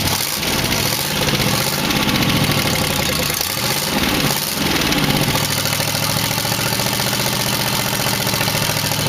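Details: 1962 Oldsmobile 392 V8 in a 1914 Dodge Brothers rat rod, after rewiring the firing order. It fires up easily but lopes unevenly, running on seven cylinders, with light valve rattle. Oil pressure is 40 psi; mufflers and gaskets are loose, with wires on the pipe.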